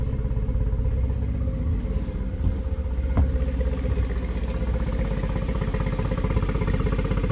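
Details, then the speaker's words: 2013 Yamaha 9.9 four-stroke outboard on garden-hose flush after rough-running diagnosis: steady even low putter, about four pulses a second, no misses or stumbles; running much better, weep hose possibly clogged. "much better oh yeah jesus christ it's like climbing out of a skyscraper on this dang thing"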